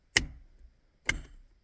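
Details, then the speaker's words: 1985 Pontiac Trans Am, LS swap, new Canton 2-qt Accusump with electric valve, engine off: switch turned on gives two crisp clicks as the accumulator solenoid valve opens, not yet charged, solenoid valve click. "This is my switch for the, uh, for the accumulator. Switch it on. And you could hear the click. I can hear it click up there."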